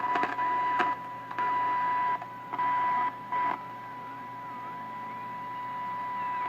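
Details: 1929 Radiola 66 superhet chassis, no cabinet, after interstage transformer replacement and during alignment: steady high whistle under choppy bursts of hiss and static; a stage is likely oscillating, and neutralizing may be needed.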